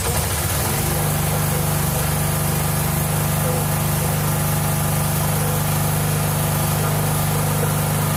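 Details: 1997 Mastercraft (MTD) 38" lawn tractor, 12.5hp Briggs & Stratton single, parked outside for years, run on choke from a hose fuel reservoir while low on oil: catches quickly into a steady, even thrum; smooth healthy idle, no misses or knocks.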